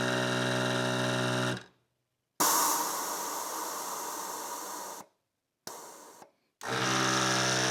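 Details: 1996 Harley-Davidson Electra Glide Classic, newly installed rear air shock pump controlled by the volume buttons. Short runs of an even, high buzzing hum that start and stop cleanly. Normal compressor operation.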